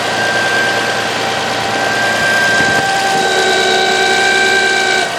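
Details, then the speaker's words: Toyota Highlander idling, hood open: a steady high whine with a rough growl under it. A wooden block held against the alternator picked up the bearing noise, not elsewhere on the engine; worn alternator bearing, possibly caused by the belt used. "And I did override the hood latch for this, but you can hear how it's got that whine."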